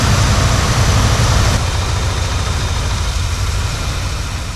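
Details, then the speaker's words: 1976 Ford F-350 Ranger Camper Special V8, first start, leaking fuel: low, lumpy rumble with an uneven, stumbling beat; a cylinder drops out, and fouled, bad spark plugs are found, one cracked. "I think we got some foul plugs. What? I think we got some way foul plugs."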